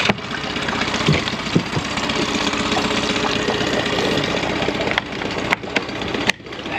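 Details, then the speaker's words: Brand-new dinghy outboard on first start after adding engine oil, cowling off: soft, even, very quiet idle with a light mechanical patter and no knocks, a little initial smoke; running properly. "well there you go finally got it started the feel finally got through let's see here it's so quiet the cowlings off and it's still so freaking quiet this is amazing"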